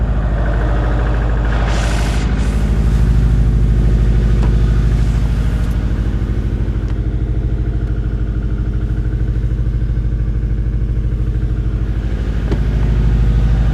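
Steady light clatter at about two knocks a second over a cold idle, ticking evenly through the clip; sounds like cold piston slap. Cause suspected, not confirmed.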